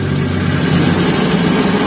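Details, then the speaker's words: 2009 Suzuki Carry Futura 1.5 pickup, engine warm: steady, smooth idle with no knocks or misses; engine sounds smooth, exhaust drips water, taken as good combustion, coil and spark plugs. "Saya coba biar suaranya masih halus ya. Masih halus."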